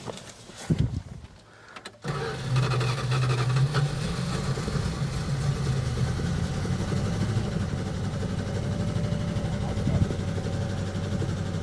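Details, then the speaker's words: 1967 Barracuda V8, last road use unknown, just got running after spring fiddling: rough, uneven idle with a loping beat about four per second, missing badly. Old gas is suspected. Engine misfire at idle, cause unknown. "It's missing like mad. Anyway, it's running now. We got to find out why it's missing. Doesn't sound good, that's for sure."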